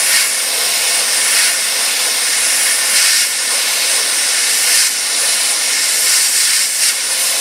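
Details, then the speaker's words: Sandblaster using worn leftover blast-cabinet media on 1968 Triumph TR250 flanges to remove surface rust before priming: loud steady high-pitched hiss of air and grit with small surges as gun moves; running normally. "probably do a little bit more blasting here just to get a little bit of surface rust off here before we go ahead and prime it"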